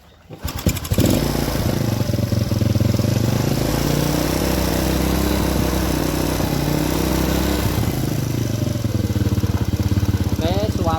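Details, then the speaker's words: Honda Supra-series carburetted single-cylinder motorcycle, after reinstalling the carburettor during rework for black-fouled plug and stalling: fast, even idle with a thin, dry note lacking richness; mixture set too lean. "Nah, kiritan ini namanya kiritan ya, Teman-teman. Terlalu irit."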